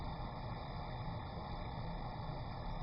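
Steady, even roar with a soft hiss and no popping or sputtering, a torch burning a stable, clean neutral flame.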